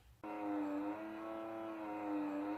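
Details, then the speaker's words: Alfa Romeo GT 2.0 with the bonnet open and headlights on: a loud, steady electric buzz of constant pitch from the headlight's automatic leveling motor, which runs nonstop and has broken. "course open the bonnet and turn on the light to see how high it was and of course I heard a very loud buzzing sound and of course I could I could locate it because it came from the light and of course it's the auto adjusted headlight the motor for the auto adjusted headlight"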